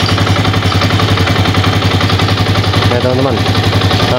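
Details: Old Yamaha Vixion, previously rough with clattering and weak power when hot, after engine repair: single cylinder pops along at a steady, even beat with no clatter or ticking, smooth and healthy.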